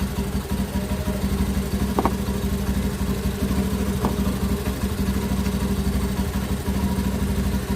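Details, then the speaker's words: Honda Beat ESP injected scooter after fixing a stalling fault traced to the 5-pin starter/charging relay: with a battery cable disconnected it idles smooth and even, about three beats a second with no misses; charging is normal. "kita coba lepas salah satu harus dari aktif terlepas mau tetap hidup berarti normal pengisian pun normal"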